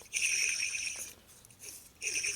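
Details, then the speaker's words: 1976 Harley Shovelhead 4-speed transmission rebuild: old cleaned bearing spun by hand, dry hissy high whirr with faint gritty edge; a little rough, so to be replaced with a new single-shield bearing. "They mostly sound like this when they're dry, but it's a little rough. So I'm going to put a new one in there, right here."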